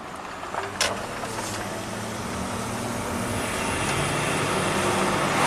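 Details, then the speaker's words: 2014 Audi Q7 TDI turbo diesel, about 180,000 miles, test drive after oil cooler and intake-valley reseal for a coolant/oil leak with a new belt: smooth, steadily rising engine and road sound under acceleration, strong turbo pull, no knocks or whistles; normal. "Oh, it's got that turbo pull. Drives like butter."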